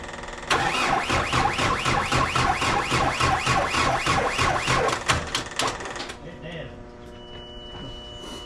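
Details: Cat 259D loader engine, during rebuild, cranking slowly and laboriously about four beats a second, faltering and quitting after five seconds; the battery is too flat and needs a jump.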